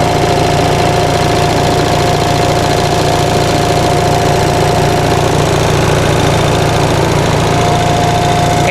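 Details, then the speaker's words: 1945 Onan thermosiphon-cooled generator on first run after fuel pump rebuild: steady, even chugging with constant tone, no knocks or surging; hot air through radiator, running nicely. "i can feel hot air blowing through the radiator up here cool air down here but isn't that thing running so nice how about that"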